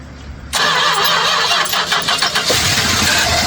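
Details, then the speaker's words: 1967 Chrysler Newport, sat for years, cranked with a jump starter: even fast starter cranking with no firing; clear fuel filter shows no fuel being pulled, crank no start, no fuel delivery. "It's going to take a minute to prime some fuel up there. I'm looking at the uh the clear filter I put on there, though. She's not pulling any fuel."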